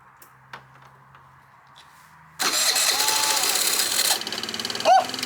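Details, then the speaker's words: Abandoned moped first revival after refitting spark plug cap, carb cleaner in carburetor: catches and runs raggedly under two seconds, then sputters out; won't sustain, owner thinks it just needs gas and clean fuel lines. "oh my god let's go let's go did you hear that baby Pur oh my god let's go oh what a shotg of adrenaline I'm so hyped okay it's just the gas it's just the gas"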